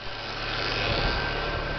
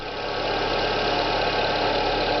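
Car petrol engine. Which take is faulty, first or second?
second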